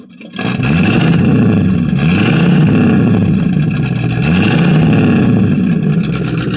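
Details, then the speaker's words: 1965 Ford Fairlane 500, 289 V8, unstarted for about 3 years, heard at the exhaust, not yet warmed up, choke on, leaky water pump. Restarted with throttle, blipped about three times; revs rise and fall cleanly, no knocks or misses; sounds good. "I get the idea there that the old 289 does run after 3 years or so it still sounds real good"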